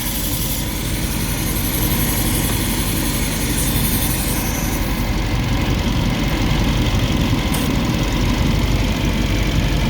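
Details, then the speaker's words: 2021 Mercedes G63 V8, 108k km, after engine repair: even idle rumble with strong airy hiss from a disconnected vacuum line; sounds better once reconnected; vacuum leak. "it didn't connect the vuum one second let me put it together all right it sounds better now that's being connected"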